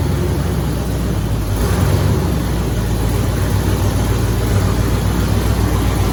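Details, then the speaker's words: Engine with headers on its first run after reassembly, started without priming. It holds a low, steady, rumbling idle with a slight shake and no knocks or misses, running fine. "Rip. Yeah, this thing shakes a little bit."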